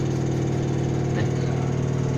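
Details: Samsung Eco Bubble 10.2 kg washer-dryer, 15 days old, correctly levelled, during spin: loud, steady, deep humming drone with constant buzz; loud spin noise, owner unsure if normal or mechanical fault.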